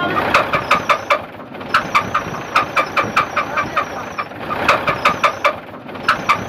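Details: UD Nissan CD truck 6-cylinder diesel engine, started for check: sharp metallic knocks in quick repeating bursts over diesel clatter, engine to be opened.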